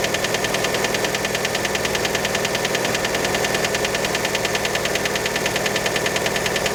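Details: Fiat Panda engine right after a cold start: quick, even metallic knocking about 200 a minute riding steadily over the idle; cause unconfirmed, many suspect piston skirt.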